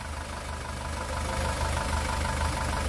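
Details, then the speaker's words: 2018 SsangYong Rexton Sports 2.2 L diesel, about 119,174 km, after an engine rebuild with new crankshaft, pistons and bearings; a broken crank cap bolt had holed the block. Now a smooth, even idle with a steady low rumble, no knocking or shaking. "아 우리가 너무 좋은데요 아 이제 탱크 굴러가는 소리가 안나요 소리가 너무 잔잔 합니다"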